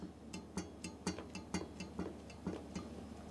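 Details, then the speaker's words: Rear wheel of a mountain bike with sealed-bearing hub rocked side to side: light knock about twice a second from sideways end play (not rocking); rear hub bearing end play. "Now that's end play, so that's play side to side. It's not actually rocking. There's no rocking there. It's actually end flow, side to side play. And that is the noise that you can hear there."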